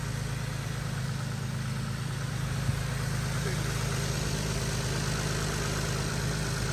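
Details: 2012 Infiniti M37x at idle with engine cover off, PCV delete done, during radiator replacement: smooth, even idle with a steady low hum and no skips, ticks or knocks; normal idle.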